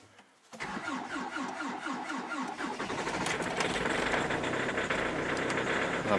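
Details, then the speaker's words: Hyundai Santa Fe I 2.0 CRDi diesel, previously wouldn't start with odd in-tank fuel pump noise and weak battery; after pump work, glow plugs heated, starter cranks steadily, engine catches and settles into even diesel clatter; pump now sounds different; healthy start. "Odgrzeję świecę. O, już było coś było. Słychać, że pompa już inaczej chodzi."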